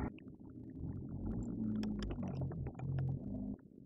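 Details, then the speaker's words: Sony Genezi audio system speaker hums low and steady at zero volume with no track playing, hum grows louder as volume rises and on the subwoofer; speaker hum with no signal. "Ahí pues hay un zumbido. Si nosotros incrementamos el volumen, no hemos seleccionado ninguna pista de audio en este momento, pero ahí escuchamos más fuerte lo que sería el zumbido."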